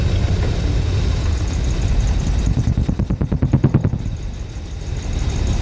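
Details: 1983 Dodge D250 318 V8 after swapping a Carter Thermoquad for an Edelbrock 600 carburetor: uneven loping idle that fluctuates, then a burst of sharp backfire pops and rattle before settling; cause unknown.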